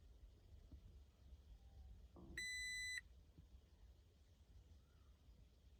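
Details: Warning chime on a 2019 Toyota Tacoma TRD Pro with a Brake Override Malfunction error, heard while the start button is held for at least 20 seconds; one steady high beep about half a second over a quiet cab, after which the truck starts but is stuck in park.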